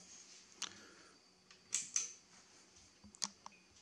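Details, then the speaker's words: HP3456A bench voltmeter after repairing a chirping fault by replacing a failed X capacitor in the power supply: scattered crisp relay clicks through power-up and 12-step self-test, no chirping, no errors. "press the test they come on and it goes through its 12-step testing and comes back with no errors so Beauty looks like that's done it"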